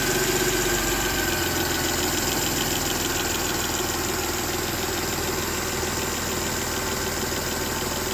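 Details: Mercedes M272 engine at idle: fast, fairly even ticking about four per second over a steady idle; top-end tick, cause unknown.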